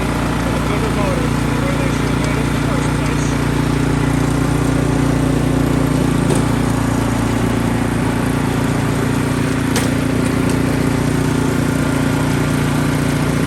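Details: Ariens Deluxe 28 snowblower after swapping its 254cc LCT engine for a 369cc LCT engine, first start: steady, even single-cylinder drone, constant low hum, no misses or knocks. Normal running.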